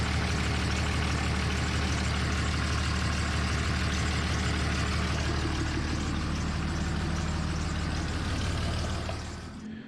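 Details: 2003 Dodge Ram 5.9 Cummins diesel idling after HY35W turbo replacement: steady idle with a fast, sharp puffing tick on the exhaust beat, about three per second, a small exhaust leak from an unplugged manifold hole.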